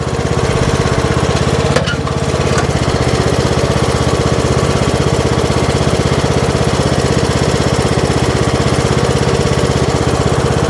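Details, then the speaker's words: Troy-Bilt Pony riding mower creeping up a steep hill: steady single-cylinder thump around three beats a second holds even under load, no slip or surge. Transmission and belts judged good; normal hill-climb drive. "Yeah, it's pulling that just fine. You'll really tell because you'll feel it start to slip, or it's really not moving at all."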